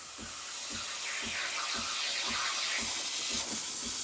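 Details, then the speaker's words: Breville Barista Express steam wand, milk jug half full: a steady steam hiss with the pump pulsing evenly at nearly four pulses a second. Steam comes after about 15 seconds of warm-up, and the machine is steaming normally. "the milk turn on the steamer should take about 15 seconds for the steam to start coming out when you hear the pump pulsating that's when it's officially started"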